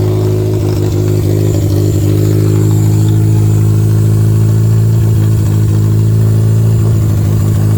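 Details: Toyota Camry derby car revving after a replacement plug wire was fitted, gas tank tipped forward. Deep steady hum broken by several brief stumbles and dropouts, suggesting a slight misfire. Running better, but the cause is unconfirmed.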